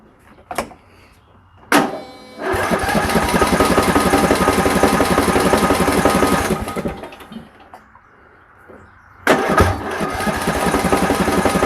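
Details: Riding lawn tractor single-cylinder engine after freeing a fuel solenoid stuck in the shut-off position (no-start fix): cranks, fires and runs at a steady fast patter, drops away, then restarts cleanly; normal running.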